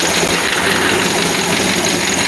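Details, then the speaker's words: 1964 Chevy C10 engine, running again, water pump off and timing not yet set: loud, busy, fast clatter over a steady idle; hydraulic lifters tick like a solid roller, so the rockers need readjusting. "it's alive. It sounds like solid roller, but no, it's hydraulic. I got to go back through and readjust the rockers."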